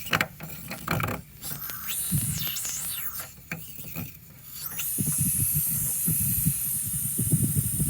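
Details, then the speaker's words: 2002 GM Suburban AC system, low-pressure service valve opened: steady high-pitched hiss as refrigerant escapes past the leaking valve, with only the plastic cap holding system pressure; low refrigerant and poor cooling. "I can tell this is leaking because when I open it up, hear it? And there was some pressure too."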